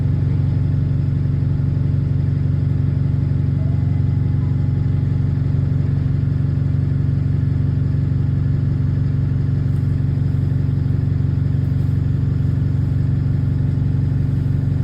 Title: *exhaust leak* Ride on 36545 (LX12DJO) on route 314.